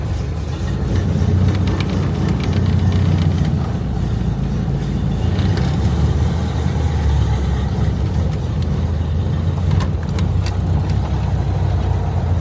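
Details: Barn-stored classic Corvan, carbureted with choke and a driver-adjustable main jet mixture: starts nicely and runs with a steady, slow, even low-pitched idle with no misses; idle RPM slightly low and needs raising.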